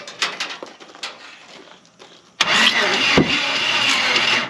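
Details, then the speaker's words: Ford Ranchero 4x4 with old 350 Chevy engine parked 30+ years, started on ether: cranking then rough catch with one sharp pop, a start-up backfire; ignition timing suspected about 180 degrees out, valves possibly too tight. "timing is out of whack but it popped uh sound like we're 180 out didn't it yes it did"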